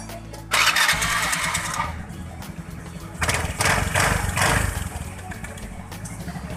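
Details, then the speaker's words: Honda Beat FI scooter idling after the rough engine noise was fixed at the blower fan: the fan was ground flush with its plastic and refitted with the bolts tightened. Starts and settles into a smooth even idle, no longer rough. "Jadi pertama awal kita hidupkan tadi dan setelah kita perbaiki tampak suaranya lebih halus ke udah enggak kasar lagi"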